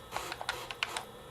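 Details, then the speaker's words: Refurbished Sega Dreamcast from GameStop reading a Tony Hawk's Pro Skater 2 disc, with a loud fan: quick irregular clicks and ticks as the drive seeks and spins, a noisy drive but reading fine. Normal disc reading. "Yeah, it's reading fine. It is, like I said, it's a loud system. It's definitely not a quiet system when it comes to reading the disk drive."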